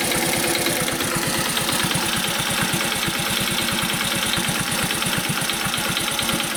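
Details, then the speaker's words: Honda Cub commuter single-cylinder, warmed up at idle: an even, quick ticking rides over the putter, quiet right after a cold start and lost when revs rise slightly; source unconfirmed, owner tries tappet (valve clearance) adjustment. "少しして、エンジンが温まると、カチカチ、音がします。"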